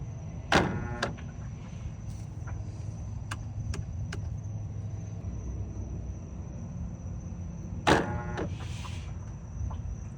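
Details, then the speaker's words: Whirlpool/Maytag top-load washer stuck in spin: steady drive hum with two sharp clunks seconds apart and faint motor whir; bad shift actuator (shifter) suspected and to be replaced, wouldn't switch to agitation. "I can hear it. Pause it. I'm gonna change that shift to actuator."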